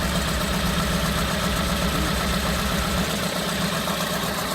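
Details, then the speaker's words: Daihatsu Hijet 1.3 EFI 16v engine in Piaggio Porter idling rough and unevenly, stumbling and surging, with check-engine light on; misfire on cylinder 4, owner suspects damaged wiring. "see the check engine light the gauges don't work to check in their life there is a misfire the engine is running really rough"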